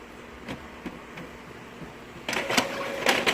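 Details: Epson printer after cleaning and clearing a stuck paper jam, colored photocopy test: a few soft clicks, then quick whirring carriage sweeps back and forth; feeds and prints normally with no lines.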